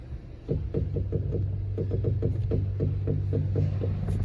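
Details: Honda Civic G10 with irregular low thumps, about three to four per second, over a steady hum as the steering is turned; suspension noise from a dry, binding strut top bearing.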